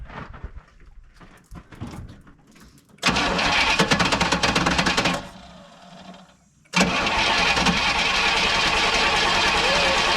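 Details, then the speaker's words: Pontiac with a freshly fitted rebuilt Holley 600 vacuum-secondary carb: ragged cranking, a burst that dies, then a rough run. Flooding from a new, dry float valve sticking, freed by tapping. "Alright, well, there you have it. She's shit. Yeah, it's flooding that carb up. You just see it pouring in there."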